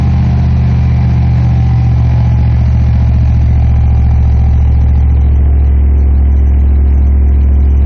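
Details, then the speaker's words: 1993 dually truck with York air compressor running, raised from about 1200 rpm idle to about 2000 rpm: deep steady even drone, no knocks or misses; engine and compressor healthy. "this is the speed that it'll fill at idle, which is right now about 1200. But you give it a little bit of gas, about 2000 RPMs."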